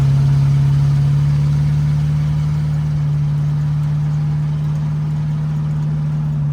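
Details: Chevrolet El Camino V8 idling, alternator charging 14.5 V, a couple of exhaust leaks audible; deep steady rumble holding one idle speed, no misses, knocks or ticks; normal healthy idle.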